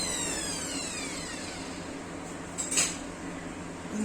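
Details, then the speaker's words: Dnipro-M GL230 angle grinder after foreign fragments were removed from the gearbox: a clean whine winding down smoothly with no crackle. The earlier crackling was caused by those pieces. "общем, посторонний треск исчез. Причина была вот в этих кусочках, которые лежат у нас на столе справа."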